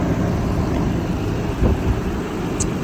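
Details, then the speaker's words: 2003 Lexus LX470 V8 with 5-speed automatic, built overlander, at idle: smooth even low rumble with no ticking, knocking or misfire; engine sounds healthy. "the motor sounds healthy. This is an 03."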